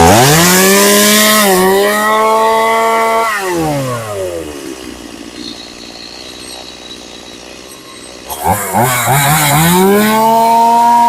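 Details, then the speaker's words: Stihl MS180C chainsaw, previously hard to keep running and dying when cut on its side, after a carburetor rebuild. The two-stroke revs up cleanly, falls back to a steady idle and revs crisply again; runs healthy with no adjustment needed. "All right, that sounds pretty good. Um, I'm going to sharpen the chain and stuff for this guy. But, uh, that's, uh, that sounds pretty good. It revs real good. I don't need to adjust anything. It idle idles well."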